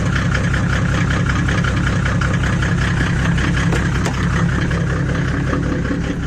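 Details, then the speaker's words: Mercedes W124 with OM606 diesel, straight-through exhaust with no back boxes, idling in a tight yard: loud, rough, uneven puffing knock about two to three times a second, from the owner's self-made stainless pipe off the manifold, found cracked and twisted. "that is my stainless pipe coming off the manifolds that I made up is actually cracked and twisted um so that that's my fault doesn't it and that's probably the reason why it sounds like that"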